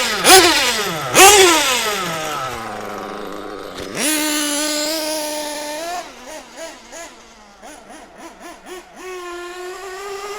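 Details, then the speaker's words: Mugen MBX6T nitro truggy. High-pitched blips, burbling and uneven between revs, slow to clear. Mixture a bit rich. "He's a bit rich now. Well, I say now, I haven't actually done anything to that, but yeah, there we go."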